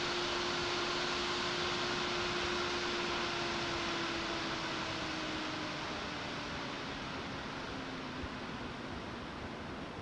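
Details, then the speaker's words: Silverstone XED120S air cooler on Ryzen 9 9950X3D in retro FLP02 case, Cinebench stopped: loud rushing fan whoosh with faint tone slowly dropping as it spins down, still very noisy, like an industrial fan. "That's 100% an industrial CPU fan all day."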